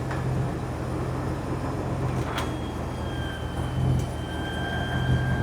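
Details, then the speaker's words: 1988 Ford F350, 460 big block, idling after upgrade from externally regulated alternator to a 200 amp one-wire alternator; power windows run with a steady even motor hum, engine not sagging, voltmeter unchanged: normal window operation and charging. "Didn't even change the voltmeter volts. Let's see if it does anything when I hit the windows."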